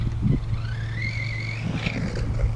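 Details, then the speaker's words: Redcat Landslide XTE RC truck running before ramp jumps: high whine rising and falling with motor speed over the truck's rumble; owner recalls the sound appeared after a camping trip, cause unknown. "Can't remember if something was wrong with this truck last time I drove it or not. It's got a whining sound."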